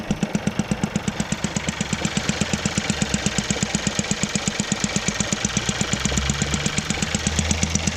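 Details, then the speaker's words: Seat Leon FR petrol engine at idle, reported for a squeaking belt noise: sharp, very regular pulsing tick, a strange pumping noise. Traced to the fuel evap pipe, its clip broken. "so there you go guys that a strange pumping noise what's that pipe"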